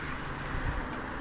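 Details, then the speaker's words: Five-year-old mountain bike with disc brakes, after servicing pads to cure vibration squeal: front then rear brakes applied while riding give only low rolling rumble, no squeal or ringing; pads may still start squealing again later. "пробуем задние тормоза разгоняемся нажимаем тишина ну пока что наши труды не напрасны"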